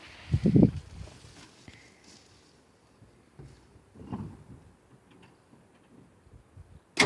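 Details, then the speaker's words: Long-stored 1968 Ford Falcon, single-barrel Holley carburettor, cranking in short bursts with long pauses and never catching; hard start, fuel starvation suspected after decades of sitting, fuel bowls to be filled. "every time I have to crank it for like yeah probably a minute solid for extra fires"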